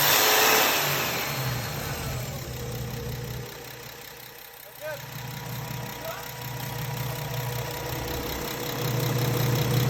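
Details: Paccar diesel truck engine idling then revving, with a rapid puffing tick of about four per second riding the exhaust note: exhaust leak.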